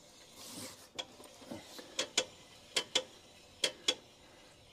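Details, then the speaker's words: Holden HK with 253 V8, about 1,010 miles since engine install, wheel raised and turned by hand with visible wobble: dry clicks, often in pairs, about once a second; owner suspects brakes and a loose wheel bearing. "don't know what that noise is, something to do with the brakes. But I reckon I need to tighten up a wheel bearing on that."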